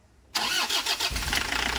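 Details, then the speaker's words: Toyota Hiace 2KD diesel after repair of lost power, hard starting and shaking: short crank, catches within about a second and settles to a steady idle with normal diesel vibration; easy start. "hidupnya juga udah gampang guys Mantap ya Tengok tenang Ya tenang Ya"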